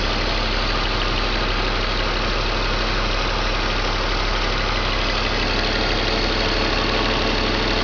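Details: BMW M54 325 cold idle: lumpy and uneven, a stumble breaking the beat about every half second. Misfire logged in cylinders 3 and 5, sometimes 4, every morning. Crankcase valve, plugs, coils and fuel filter replaced, injectors cleaned. Stops when warm past the blue zone. Cause unknown.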